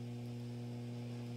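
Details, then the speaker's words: Acoustic B25 bass combo amp on variac at 106 volts: steady low buzzy mains hum unaffected by volume or any knob; suspected capacitor fault, unconfirmed. "we'll hit 106 volts and now we're getting some noise"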